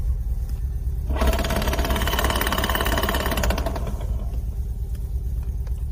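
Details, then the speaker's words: Lada Niva transfer case rebuilt with new gears and bearings, running: hard rapid knocking with strong vibration over drivetrain hum; caused by defective large drive-shaft gear with one tooth not fully cut. "причина оказалась в бракованный шестерни большой ведущего вала выше передач стук происходило из-за того что один зуб вот этот вот этот зуб видите не дорезан"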